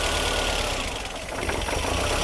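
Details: Mercedes W201 2.5-16V manual, parked for years, after repairs, running on an external fuel tank: steady, even idle around 1100 rpm with no misses or hunting, return flow 2.2 L; normal running.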